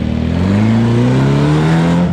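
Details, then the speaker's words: 1600cc air-cooled VW Class 11 race car on the dyno after tuning of timing, idle jets, emulsion tubes, main and air jets: full-throttle pull climbs smoothly from idle to redline with no hesitation, bogging, coughing or sputtering; healthy. "it did the car just runs no hesitation there's no bogging no coughing no spittering no sputtering from idle all the way up to Red Line and makes great power along the way"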